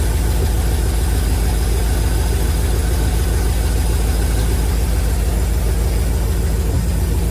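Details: 1971 Chevrolet C40 truck, running after carb cleaning and idle mixture adjustment: low steady idle with regular thumping tick three to four per second; owner blames the shot exhaust, blow-by minimal. Cause suspected, not confirmed.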